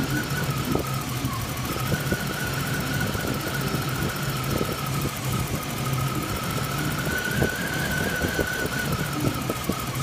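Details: 1995 BMW 318ti M42 four-cylinder idling with an uneven, stumbling beat and a faint steady whine, idle not settling; rough idle being checked with a vacuum gauge.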